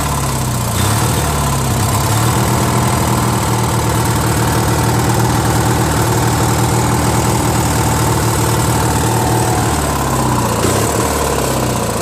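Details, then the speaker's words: Trash-find Briggs & Stratton 16HP opposed twin on a Murray tractor runs lumpy and uneven, its beat hunting. It surges unless choked, and full throttle sounds fine; owner thinks the carb's missing Welsh plug leans it out, as blocking the hole with a finger makes it run much better. "Apparently it's missing the Welsh plug, I think. Whatever goes in there, it was missing. So that's why it's not running right."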